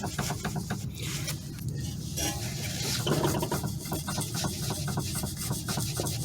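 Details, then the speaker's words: Toyota Sienna front end: quick uneven metallic clunks as the steering rack is moved by hand, from play inside the rack; inner tie rod first suspected but found fine, steering rack defective and replaced. "it has a play inside so it's loose inside so this uh this steing Ro is defective that is the thing it's not the inner tie r as I thought before"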